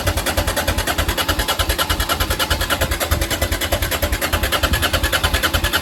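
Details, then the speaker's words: Honda XL650V Transalp that won't start after a service and a month of storage: steady starter churning with even compression pulses and no firing. Owner suspects the carburettor float bowls emptied as fuel evaporated, or something stuck in the carbs. "Problem był z poziomem paliwa w komora pływakowych stał długo wyparowało i nie chciało sobie chyba albo może coś się przywiesiło w gaźnikach"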